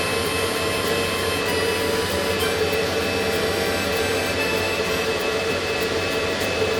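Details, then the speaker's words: Antminer after new 6,000 RPM cooling fans were installed, running on low speed: fans kick in to a steady loud airy rush with constant whine, no flutter or grinding; fans running evenly, healthy. "Got those fans really running now."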